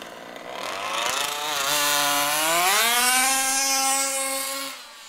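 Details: HPI Baja SS RC car with Zenoah G320 engine and V2 Dominator exhaust, rebuilt, on 91-octane ethanol-free fuel with Bel-Ray oil at 32:1; high-speed needle test: buzzy two-stroke climbs to a high held scream, thin and sharp on top, slightly lean (later corrected).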